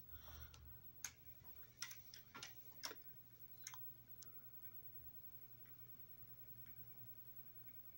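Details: Famicom Disk System after spindle alignment recalibration: a few sharp, uneven mechanical clicks as the drive seats and starts reading, then a quiet steady hum; the disk loads cleanly and the drive works now.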